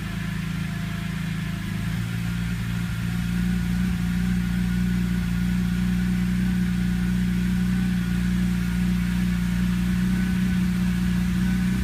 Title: Rough Idle First 90-120 seconds after start